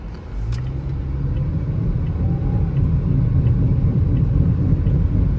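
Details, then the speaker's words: 2016 Toyota RAV4 on the road, heard from inside the cabin: steady low growl building with road speed over tyre noise, felt through the floor; suspected right front wheel bearing, later inspected and fixed. "And as you can hear, this thing's making a really bad noise. I suspect it's coming from the right front."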